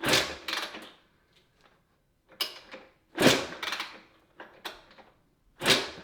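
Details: Rebuilt barn-find 1991 Honda CR125 two-stroke, no coolant in radiators, kickstarting; separate hollow clunking kicks with no firing; spark plug bone dry.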